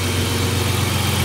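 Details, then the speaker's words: BMW E30 after freeing a stuck injector by tapping and pulsing it, new spark plugs fitted: even, quiet idle with a smooth low hum, no misses or ticks, all cylinders firing and exhaust running normally. "тихо, работают все горшки. И как работает выхлоп."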